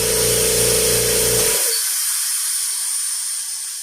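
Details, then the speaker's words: Kobalt vertical air compressor that sat in a barn and would not start, first plugged in after repair with a roughly $30 part: steady motor hum with a bright hiss, then the hum drops away leaving air hiss; starts and runs normally. "There's no way to get electrocuted unless that thing blows up for some crazy reason. And there we go. It works."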